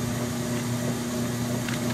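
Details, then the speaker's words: Kenmore 80 Series washing machine on extra slow agitation, large cold load, preliminary test: steady, quiet low motor hum with almost no other sounds, no knocks, squeals or grinding; normal healthy agitation. "that's quiet granted yes it's on extra slow but that's quiet you just hear the hum of the motor there's almost no other sounds"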